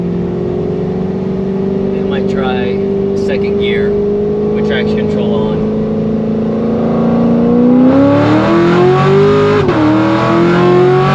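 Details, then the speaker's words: C7 Corvette Grand Sport LT1 with 650 hp supercharger package, factory tires, manual-mode pull in 2nd, 3rd and 4th: clean rising pull with climbing supercharger whine and quick shift dips; sounds good, shifts great. "It sounds good. Shifts great too. I mean, this really is the perfect daily driven package for you LT1 owners out there. Drives like stock until you get on it."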